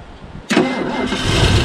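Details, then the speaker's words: 1975 Ford LTD Landau with a 460 big-block V8, long sitting in a field, gas poured in the carburettor bowls: silence, then it catches at once into a loud, slightly ragged idle; starts readily. "i'll see if this fine automobile will start put some gas in the in the bowl check the accelerator pump"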